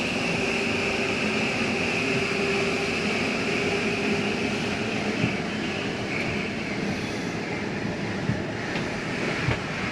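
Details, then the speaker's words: Flagstaff 27BHWS travel trailer slide-out retracting: steady electric motor drone with faint whine, grinding-like mechanism noise is the slide stopping itself coming in too far; normal. "once you hear that noise it's okay to hear that that is just a slide mechanism keeping itself from coming in too far sounds like it's something grinding but it is not"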